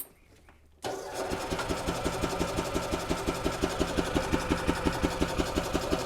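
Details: 2008 Yamaha Drive gas golf cart, owner reports strong gas smell and sputtering after sitting, after reassembly and before fuel flush, in neutral: quiet, then catches and idles evenly at about three thumps a second; normal start and idle.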